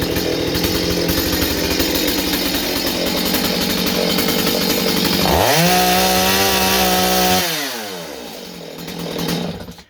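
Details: Stihl 025 chainsaw under warranty check for sporadic running (possible air leak), started by pull cord and warmed a few seconds: two-stroke burbles at idle, snaps cleanly to high revs, holds, drops back smoothly; running fine here.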